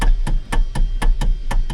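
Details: 2014 Hyundai Sonata: sharp, regular clicks about four a second as the steering wheel turns, from a worn star-shaped coupler piece under the steering column, to be replaced.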